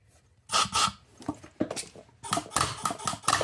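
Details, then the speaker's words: MAC AH650 air hammer restored after 20 years unused, new O-rings and trigger mechanism, run at 40 psi: sharp bursts of quick, crisp, even snapping blows with short pauses and no air leak hiss; hammer cycling normally. "Okay, at 40 psi it's already snapping."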